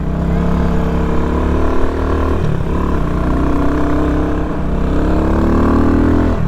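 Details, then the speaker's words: Small X-Pro 150 cc dirt bike bought on Amazon, first ride on street tires; revs cleanly and evenly through the gears, pitch rising and falling smoothly with the throttle, running healthy. "It sounds good. It's so tiny."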